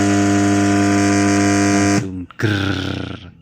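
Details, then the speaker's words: GMC portable speaker emits a loud, steady low buzzing drone with stacked tones as soon as it is switched on, before any music is played, then cuts off abruptly. "Suaranya langsung terdengar meskipun saya belum memutar musik."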